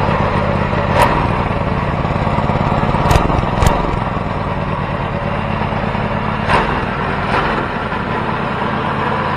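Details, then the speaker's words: First start of a custom 424cc Predator 212-based inline twin, carburetor needle clip at middle setting: fast, slightly uneven putter with occasional sharp pops; idle is a bit high, builders plan to raise the clip so the needle drops. "um you know what i was noticing was that the idol is a bit high so we have we have that needle jet set in the middle so we'll have to raise that"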